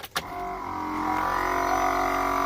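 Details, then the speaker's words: Newly installed aftermarket air horn kit on a Chevy Silverado 5500HD, key on after fusing: small electric pump starts with a click and hums steadily, even pitch, no knocks; air line not yet connected, air felt coming out; pump works. "Well, you can definitely hear the pump run."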